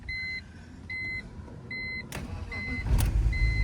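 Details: 2000 BMW 323ci (E46) 5-speed bought at impound auction, after installing a battery: three double-tone warning chimes, brief crank, then the engine fires right up and runs smoothly; normal start.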